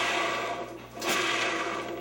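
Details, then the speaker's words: Centipede arcade trackball fitted with reproduction rollers, hand-spun: a soft, even rolling hiss that swells and fades with no scraping. Much quieter, and spins better than the other one. "Definitely a lot quieter, but still spins a lot better than the other one did."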